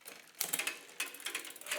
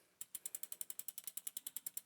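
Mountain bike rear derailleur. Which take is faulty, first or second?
first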